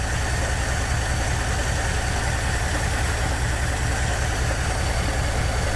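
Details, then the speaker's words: 1959 Dodge D-300 farm truck, 318 V8, fires up after sitting for months following starter and solenoid replacement; loud, lumpy uneven idle with low thump, described as a totally blown 318, rough idle. "fires right up cool listen to that thing that totally blown up 318 yeah that's blown"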